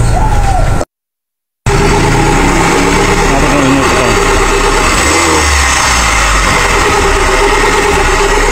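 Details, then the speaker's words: Kia Pride with unstable idle and running very hot, water pump pulley and belt removed: uneven rapid clatter over idle, about four beats a second, persists, so not the water pump; the problem is inside the engine, top overhaul planned. Cause not confirmed. "guys, hindi siya water pump. Sure siya guys na hindi siya water pump. Nasa loob talagang problema."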